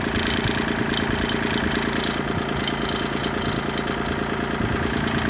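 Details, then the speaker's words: Kubota tractor at diesel idle: light metallic rattle from the loader control handle, owner suspects the arm or its bracket vibrating on the solid-mounted base plate; earlier a vibrating washer was isolated with an O-ring. "getting a rattle and i think it's from this arm right here"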